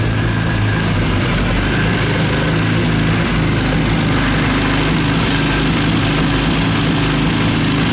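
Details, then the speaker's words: Classic Mini 1.3 track car after fitting used roller rockers and correcting plug lead firing order (had backfired): steady even idle, clean beat, no top-end ticking; sounds good, adjusters to be rechecked. "that's good sounds good"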